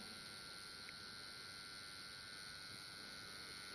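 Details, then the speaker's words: Old AN/PDR-20 radiation detector with one of three tubes missing, switched on: a faint steady high buzz with a fixed whine and no rhythm change, the internal vibrator power supply running normally. "you plug it in and the vibrator on that it's a vibrating supply in here"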